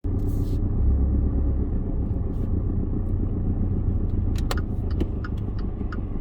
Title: When I accelerate too fast it studders and makes clicking sound.